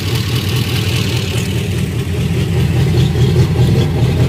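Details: Golgotha's first run after rebuild: steady low even idle with a slight lift in revs near the end; no knocks or misses.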